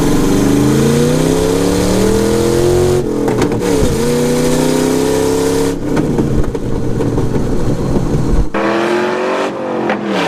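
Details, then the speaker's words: LS-powered S10 Blazer launching on a pebbly road: engine revs climb hard, then the pull breaks into choppy surges as the rear hops. Wheel hop on launch, cause not confirmed. "I'll try to get some rolling cuz even just rolling into it it still hops in the back"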